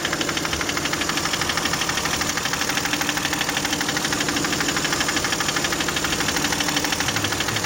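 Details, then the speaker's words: Toyota 1MZ-FE V6 at idle, knock appeared at first start after spark plug change, injector seal replacement and throttle body cleaning; steady regular tapping about three per second, near the middle, varying quieter then louder; cause unknown. "Ближе к середине. Но стал тише, чем был. Вот, стал громче."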